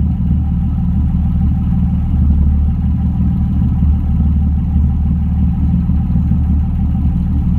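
Deep, heavy idle with a faint uneven lope in the pulses rather than a smooth, even beat, so the engine is idling slightly rough.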